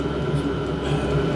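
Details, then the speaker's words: Diesel air heater on a test bed, fuel tank raised to clear air after a failed first start: steady, fairly loud roar with constant fan hum, no surging or sputtering; burning and running properly. "so that's what we've done right I if you can hear me cuz of the noise is quite noisy to be honest with you but"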